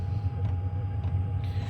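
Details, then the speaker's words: Diesel parking heater wood-mounted in shop, about 17°C reading: deep steady burner rumble with faint soft fuel-pump ticks about twice a second; normal running. "it'll get to a certain point where it ramps down this is achieved like the heating that it needs and so then once it does that it'll run pretty quiet you won't really know what the hell's going on you won't hear it as much so hey you can hear the pump a little bit"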